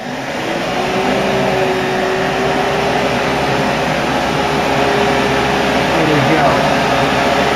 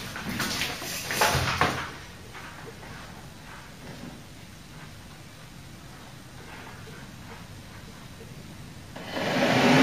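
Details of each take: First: Mk3 Ford Cortina heater box with upgraded 300 W blower motor bench-run on power, correct polarity: steady noisy whir with constant air rush, no rubbing or wobble. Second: Mk3 Ford Cortina heater box with upgraded 300 W blower motor, bench-run with uncertain polarity: after quiet, loud coarse rushing whir for about three seconds; motor spinning backwards on reversed wiring.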